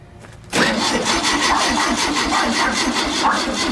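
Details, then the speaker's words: Air-cooled VW Super Beetle engine, freshly assembled and mounted, first start attempt with straight 30-weight oil, battery running low: quiet cranking, then an uneven sputtering roar that stays rough; fires briefly but won't keep running. "but I mean to hear it sputter and fire a little bit was definitely the right path to be on"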